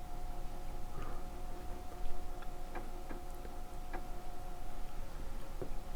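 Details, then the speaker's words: 1987 Korg DSS-1 synthesizer under restoration, floppy drive writing to a disk: light, irregular clicks about once a second over a faint hum as the head steps across tracks, with no track number shown on the display; the drive works normally. "Well, it's still stepping. And uh It's not telling you anything."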